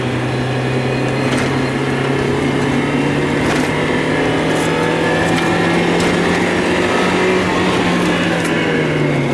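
The idle hum wavers in pitch, with uneven sharp pops breaking through every second or two; the engine is stumbling and misfiring.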